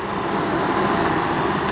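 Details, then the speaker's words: Antique heater blower motor for a 1929 Chrysler, seized before being freed with a drilled bearing hole and WD-40: even, steady rushing hum with no scraping or squeal; it now spins freely and sounds healthy. "So right now it spins real free. Wouldn't spin at all before. And you can hear it's got a pretty good fan in it."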